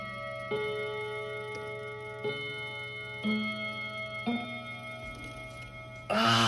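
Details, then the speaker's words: Kienzle Westminster chime mantle clock, not working for about 40 years and recently dropped off a shelf. Separate bell notes ring at uneven spacing over the ticking movement, in the wrong order. The repairer suspects the small cog is engaged on the wrong tooth. "so annoying so close more fiddling required i think the cogs the teeth sorry on that small cog they uh it needs to be just right between the right teeth"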